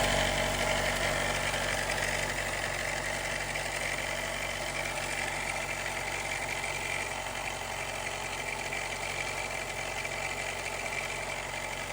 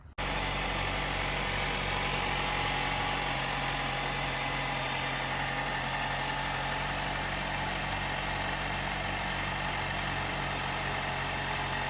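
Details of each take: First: 2018 Jeep Wrangler JL, 2.0L turbo, cold start idle: light uneven metallic chatter lasting about a minute to a minute and a half, sometimes while driving; timing chain rattle from failing tensioner, a common fault from around 45k miles. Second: 2018 Jeep Wrangler JL, 2.0L turbo, after replacing the timing chain tensioner to cure a rattle on cold startup: steady, even idle hum with no chain rattle or ticking, engine now quiet and healthy.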